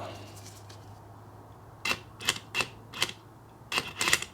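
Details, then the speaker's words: Range Rover Sport EGR valve removed and bench-powered with 12 V after fault codes on both EGR valves: sharp clicks about three a second as it opens and shuts freely, not blocked; owner suspects electrical connection issue. "so that comes up and down very easily as it's supposed to it's not blocked up at all"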